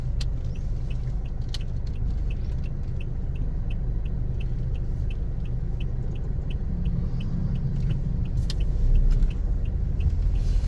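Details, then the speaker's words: Second-hand Toyota Innova, final check before release, driving over rough pavement listening underneath: steady low road rumble, no clunks or rattles; suspension solid, bushings still tight, no vibration inside. "Ito, solid oh. Solid ang pangilalim oh. Wala man lang kalampag."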